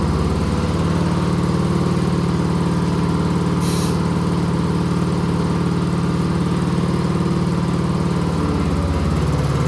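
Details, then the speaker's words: Husqvarna YTH20K46 with a replacement 20 hp Kohler Courage SV600, first test run with gas and oil and the air filter off: a steady, even single-cylinder thump at fast idle with no misses or surging. It runs healthy. "Glad we finally got this thing running again."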